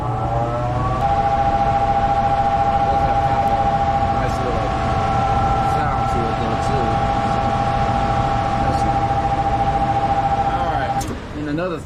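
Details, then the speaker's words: Furnace blower motor, capacitor last changed in 2018: steady low hum with a clear tone, motor droning with a slight pause and not reaching full speed; failing windings suspected, capacitor to be tested and replaced. "So, we're going to pull that, test it, replace it, see if it kicks on stronger than that, cuz we heard that slight pause in it."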